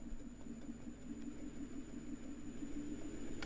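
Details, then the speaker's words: Small lathe with green juniper natural-edge bowl blank (230x120 mm) for roughing, balanced enough to run at about 530 rpm: quiet steady low hum with even pulse, no thumping or wobble; balanced workpiece spinning smoothly. "that's actually quite nicely balanced uh I'm able to run it at 5 530"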